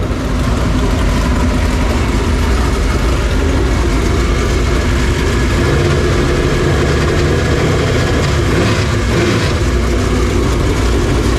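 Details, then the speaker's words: Super Late Model racing engine during an engine-problem hunt before the HTF finale, holding an even idle warm at operating temperature: a deep, steady V8 rumble with no knocks or misses; no leaks; judged healthy, good to go. "hey sounds good good old pressure no leaks 6 pound talking about yeah at temperature good to go"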